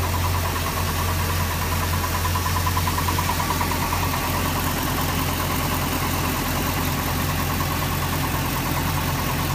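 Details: Volvo Penta V8-380 engine with about 35 hours: steady V8 idle with a loose, uneven ticking over the low rumble, a strange idle noise of unknown cause.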